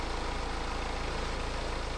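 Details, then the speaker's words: BMW 318 idling after replacing the antifreeze-contaminated drive belt; the squeak began when the water pump failed and leaked antifreeze onto the belt. Now an even, steady idle with a soft regular pulse and no squeal or chirp: normal idle, belt drive quiet. "check it again make sure it's all good quiet Happy Days oh she's as good as gold Oh What A Difference that's made just by stopping out the belt"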